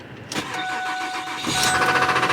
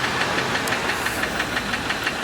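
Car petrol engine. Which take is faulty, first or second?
second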